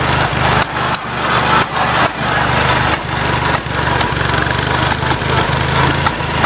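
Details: Farmall Cub tractor at start-up and while driving: the small engine chugs steadily with sharp pops every second or so. The cause of the popping is unknown and the owner is asking for ideas.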